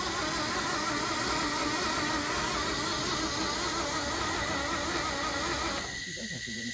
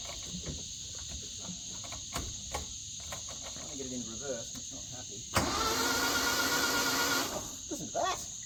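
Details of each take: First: Flood-damaged Isuzu Gemini under restoration, turning the motor and drivetrain over on the starter: steady, even starter churn at about three beats a second with no binding or hitching. Engine cranking freely. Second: Flood-damaged Isuzu Gemini, cranked in gear after the differential was refilled with old fluid: scattered clicks, then a sustained strained starter whirr that never catches. The gearbox is suspected to be partly locked up.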